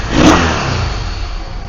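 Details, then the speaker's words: Yamaha V-Star 650 V-twin that wasn't running properly: short blip, then steady, even idle settling with no knocks or misses; clearing up, oil smoke from rear cylinder, owner thinks oil sucked past rings. "okay it's actually running pretty well I can hear it clearing up as it's just sitting there idling it's cleaning out"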